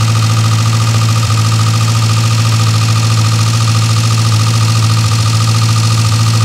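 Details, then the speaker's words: Old Austin/Morris van petrol engine, running off the fuel pump: deep, steady hum with even firing, no misses or stumbles; idling cleanly. "yep that's running off the pump"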